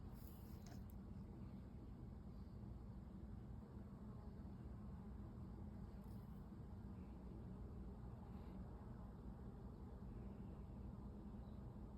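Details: First-generation (1G) Mitsubishi DSM 4G63 engine running with a spun balance shaft bearing: heavy steady low rumble with dense, deep knocking.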